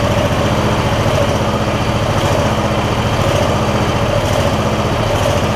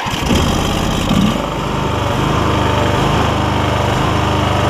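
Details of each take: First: MTD Lawn Chief garden tractor V-twin after clearing debris believed to have got into the intake despite a tight air filter: even, steady low-pitched beat with no hunting or surging; running smoothly and healthy. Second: MTD Lawn Chief garden tractor V-twin, 46-inch deck, Hi-Lo Varidrive, 7-speed, just started with a little choke: runs pretty good but the idle pitch dips and recovers, a slight surge; charging still to be checked.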